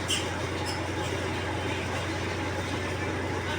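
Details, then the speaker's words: Godrej 7 kg semi-automatic washing machine spin motor, running empty at full speed after its cutting-out fault was fixed: loud steady whirring roar with a low hum. Spin motor buffer is jammed. "और आपको दिखाता हूं यह बहुत ही तेज आवाज कर रहा है जोक बहुत तेज आवाज हो रही है इसमें यह जो फुल स्पीड में आता है तभी यह आवाज आता"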